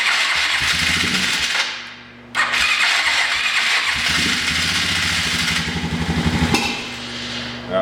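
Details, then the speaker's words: Single-cylinder engine just after a carburetor rebuild, started by rolling: runs unevenly with sharp pops and a cut-out before settling; backfiring after start, with the owner suspecting the float height was set too high or the timing is off. "so here's my theory I might have set the float height on the carb a little too high and it's not getting enough back gas and backfiring or I blew the timing's off"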